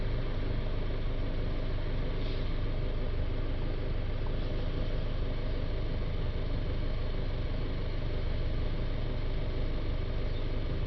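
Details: Citroën Jumper 2.0 diesel van, restarted after the DPF additive tank was refilled and reset, with DPF pressure at 4–5 mbar; an even diesel clatter with a smooth low rumble and no misses. Normal diesel idle.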